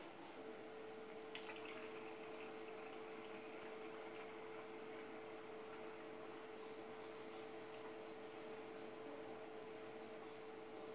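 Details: Custom PC water cooling loop (i9 9900K, twin GTX 1080 Ti, large radiator) just filled, coolant returning to reservoir; quiet steady pump hum at fixed pitch with faint trickling and gurgling; air still in water cooling loop.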